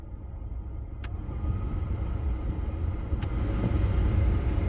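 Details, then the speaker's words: 1985 Pontiac Fiero GT, key on, engine off, heater controls set to vent after mouse-nest duct cleaning; steady low whoosh of air building smoothly, no rattle or squeal, plenty of airflow though smelly; normal blower operation. "got plenty of air flowing out of here now doesn't smell so great"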